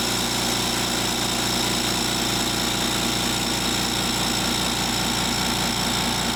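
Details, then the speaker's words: Harbor Freight 2-gallon air compressor on a table, phone decibel meter between compressors (background about 36–37 dB): steady, even motor drone with a fast regular pulse and airy hiss, no knocks or rattles; normal healthy running. "So we're going to start with the 2 gallon compressor. I'm going to fire it up, and then we'll see what the sound is like."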